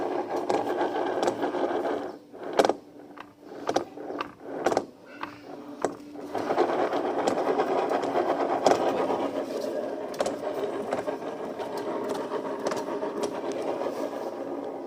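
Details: Yamaha NMAX V2 scooter at 31,000+ km, CVT cleaned and new same-weight rollers fitted at 31,000 km: a few clunks, then a rough buzzy drive drone once engine is hot after riding; fine when cold, cause unknown.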